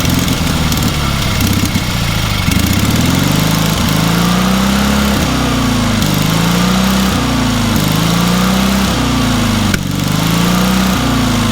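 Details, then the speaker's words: Engine on a free, long-neglected trailer-mounted man lift (cherry picker), water in the oil and corroded intake, throttle half open; catches quickly on restart and runs on, speed rising and falling about every 1.5 seconds; starts easily, runs amazingly well. "That thing runs amazingly well for what it is."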